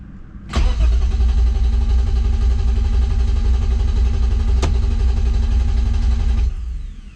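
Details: BMW E36 M3 with freshly finished motor and newly installed Link ECU (previously fired on the old ECU), out of gear after long sitting: steady starter cranking about six seconds, even rhythm, never catches; crank no start.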